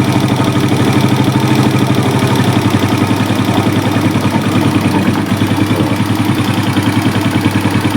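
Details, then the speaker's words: Suzuki Smash single, warming up after carburetor adjustment, exhaust black but no smoke: idle pulses unevenly with varying beat strength and lumpy stumbling rhythm; compression leak, noise worse when hot. "Ini bocor, ini ada kompresi bocor. kira kenapa ya, itu karena knalpotnya ya."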